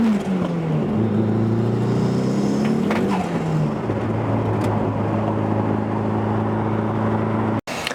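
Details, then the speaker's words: Car making an abnormal harsh rough roar under boost as revs climb and fall; intercooler pipe ruled out, owner suspects detonation or other uncontrolled combustion, not yet confirmed from logs. "so I took a couple logs of this noise which unfortunately I was not imagining and does not seem harmless"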